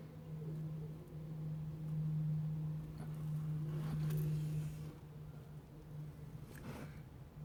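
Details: VW T4 2.5 TDI idling after a crankshaft damper pulley change: low drone with a faint tick-tock knock. The owner first suspected disturbed injection pump timing, then found a sloppy, loose crankshaft timing pulley.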